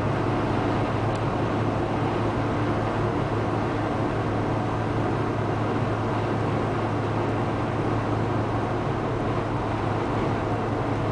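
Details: Fiat Tipo 1.4 i.e. cruising on the highway at about 90 km/h: a loud, steady low drone with heavy road and wind roar, sounding like 120 km/h; excessive engine noise at cruise.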